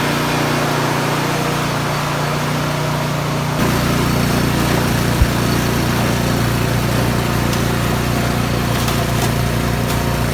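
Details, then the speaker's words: Craftsman snowblower after bent impeller repair: steady note deepening slightly as the auger takes load, no scraping or knocking; normal running. "so i've got everything back together i'm just going to start it up and test it out and see if that noise is gone so it looks like that's working fine i'm gonna continue on moving snow today"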